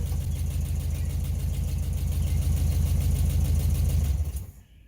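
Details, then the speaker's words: 1968 VW Bus air-cooled engine, revived after years of storage and an engine fire, with new wiring, plugs, points and condenser: starts easily, settles into an even, steady putter with no misses or knocks; healthy running engine. "dude that starts so easy there you go give it more onions"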